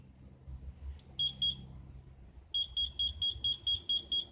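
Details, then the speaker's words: 2002 Victory V92C motorcycle running rich: multimeter beeps about twice a second as throttle rolls open past halfway; throttle position sensor resistance is erratic instead of smoothly dropping from 1130 to about 5 ohms, so the TPS is bad. "I'm about halfway through the throttle and now it's beeping so that tells me we have a bad throttle position sensor it's erratic it's all over the place"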